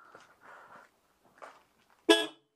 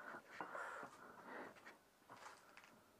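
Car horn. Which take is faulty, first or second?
second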